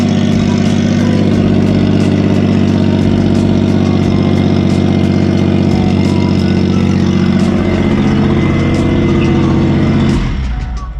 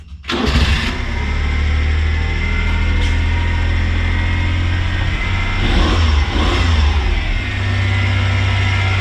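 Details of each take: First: Kei truck after a cracked muffler was patched with muffler weld: very loud, raw, blatting exhaust at a steady idle until shutdown, because the exhaust pipe had not yet been bolted back on. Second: Kei car after its muffler was welded: the engine catches quickly and settles into an even, steady idle with no puffing, blowing or rattling from the exhaust. It sounds healthy.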